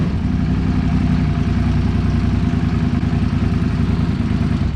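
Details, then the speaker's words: Suzuki SV650 (2003–2009) after OEM fuel pump rebuild: even steady V-twin idle with no fuel pump whine, then clean shut-off; sounds healthy, though earlier fault only appeared under throttle when fully warm. "it sounds different than the last [Music] one sounds healthy huh"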